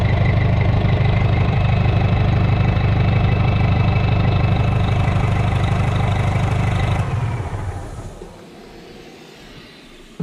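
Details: Rebuilt Detroit diesel restarted after dirt was found in the charger system, source still unknown, with a broken governor line still to fix: deep, even idle with a steady low beat, about three firings a second, then a clean shutdown; healthy.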